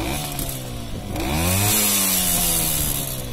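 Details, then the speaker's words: Romet 2375 (Komar) two-stroke, non-original carb, possibly different cylinder: at 1.5 turns the air screw leaves it a bit sluggish, revs climb lazily and flat on pickup; best response found at just under 0.5 turn. Owner unsure why, suspects carb, cylinder or an air leak. "jest 1,5 obrotu, to jednak trochę muli."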